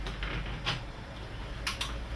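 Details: Philips 50PFP5532D/50 plasma TV with a shutdown and start-up fault, psu capacitors suspect: a few sharp dry clicks in quick succession over quiet room hum as power comes on; relays pulling in normally.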